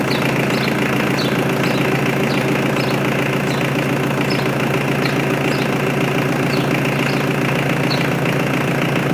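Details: Mitsubishi L200 K74 diesel 4x4 stored 15 years, freshly serviced with new air and fuel filters and oil, restarted after an unexplained one-off noise; steady even diesel clatter at idle, light ticks three to four a second, no misses; normal diesel idle.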